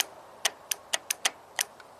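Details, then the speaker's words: 2001 Toyota Avalon 1MZ-FE V6, 87k miles, with misfire, VVT and other codes: the bank 2 oil control solenoid, removed and energized on the bench, clicks crisply in and out six times and seems to work properly. "We're going to energize it and see if it moves. And what happens? It does move. Seems to be operational."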